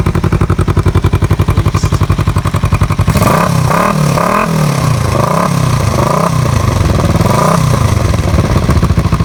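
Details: Kawasaki EN450 bobber with newly wrapped exhaust, burning it off: even, steady idle pulses, then clean throttle blips rising and falling smoothly with no clatter; engine sounds healthy.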